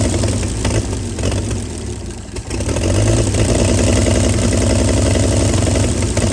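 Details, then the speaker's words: 1937 Chevy truck inline six, running after about 45 years sitting, warming fast and boiling its water: brief dip, then steady even idle with no knock or miss, no smoke; normal idle despite rust in cylinders six, four and three. "girl running after 45 years I can't believe she ran that good and she didn't even smoke with as much rust and stuff was in number six number four and number three I couldn't believe it ran that good"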